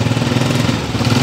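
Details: Honda CG125 125cc motorcycle with a starting problem, misfiring and backfiring, running after start. Uneven, stumbling single-cylinder beat with skipped firing pulses: misfire from a worn, too-wide-gapped spark plug.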